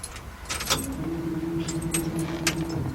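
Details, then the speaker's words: 2002 Workhorse Fastrack FT1061 step van (5.7 engine), cranks but won't start: keys jingle, then a steady low rumbling hum for about two seconds at key-on as the fuel pump primes. "heard a rumbling noise man but the fuel pump was coming on that's cool"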